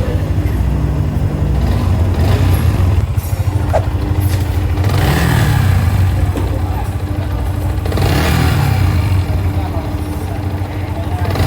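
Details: Yamaha Vixion motorcycle idling and blipped thrice: loose rattly clatter under exhaust; owner complained of engine noise; cause was previously fitted ceramic cylinder block leaving piston-to-bore gap, piston slap.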